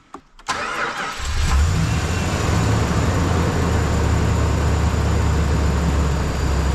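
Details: Dodge Ram 2500 Hemi that kept dying even though revving kept it running; with the TIPM plug suspected, the engine catches after a short gap and settles into a steady idle; intermittent cut-out and restart, cause suspected, not confirmed.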